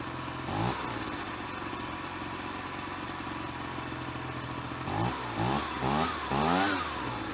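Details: Ryobi BP42 backpack leaf blower two-stroke, 4 years old, after repairing no-spark, replacing and fine-tuning the carburetor, and redoing the fuel lines: steady buzzing idle, then several quick blips climbing cleanly and dropping back, responsive; normal running.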